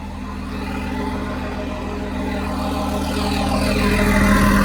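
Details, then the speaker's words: John Deere 300D articulated dump truck JD6081H diesel engine, 10,739 hours, installed and running before parting out; even, steady clatter with a firm low drone, rising slightly as revs pick up, no misses or knocks; normal healthy diesel idle. "I think I saw it. must have that exhaust gas thing, but it runs great."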